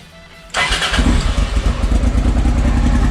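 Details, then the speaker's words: Honda XL650V Transalp after priming fuel into the carburettors: it starts on the first try into a strong, even V-twin beat with no misses; new Arrow exhaust with dB killer, clean header burning off, running healthy. "sąsiedzi mnie znienawidzą ale zupełnie inna nowa praca ja się cieszę to z DB killerem robi robotę duża różnica"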